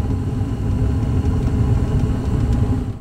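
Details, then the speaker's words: Gas furnace with hot surface igniter, normal sequence: inducer motor runs, igniter glows bright orange, gas valve opens and burners light with a steady low roar that holds evenly, no puffing or rumbling; normal burner operation. "gas valve opens up and there go my burners"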